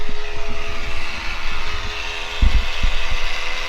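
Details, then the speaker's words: GMC Yukon ABS pump motor, heard from underneath, keeps running despite a cleaned frame ground. Low steady hum with a faint fixed tone and dull thumps that never shuts off; fault not fixed. "can hear her just running away so that definitely did not fix it"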